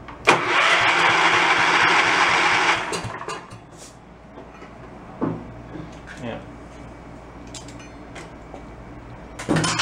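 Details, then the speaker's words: Log splitter of unknown vintage (owner guesses about 20 years old), long abandoned: short burst of even starter cranking, about 2.5 seconds, starter sounding good; compression read only about 10, possibly a decompression feature. "it's a good sounding starter popping out the top pretty good"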